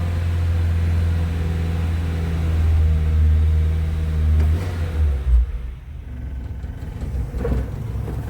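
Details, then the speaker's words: Restored Suzuki Maruti Sierra (Samurai) small engine, cold start with choke out: low, steady rumbling idle with a deep note that settles and softens, shaking a bit while cold; normal. "Let's see how quiet we are around the back. Lovely and quiet. Of course when it's cold it's going to shake around a bit."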